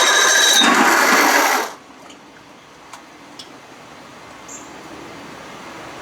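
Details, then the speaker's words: 55 hp Evinrude outboard in a water tank, choked, with no controls hooked up, cranked on a new-old-stock starter: a harsh, rough whirr for under two seconds and the engine doesn't catch. The new starter still makes a weird noise. "didn't like that's the sound of that starter new old stock brand new still making that weird noise not like the other one though"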